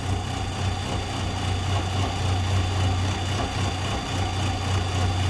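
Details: 2014 Nissan Altima, believed 2.5 L, with P0014/P0300, idling while active tests are set up on the scan tool: uneven, lumpy beat that swells and sags every few seconds. Exhaust cam stuck out of time, causing rough idle and stalling.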